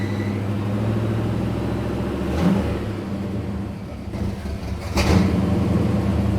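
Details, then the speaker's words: 1959 Pontiac Catalina V8 in park after reassembly, old carburetor still fitted, with belt squeal: uneven, stumbling beat when blipped, with dropouts and surges; misfire barely lets it run and clears under throttle. "Yeah, the misfire is still there pretty bad. It doesn't even want to like run."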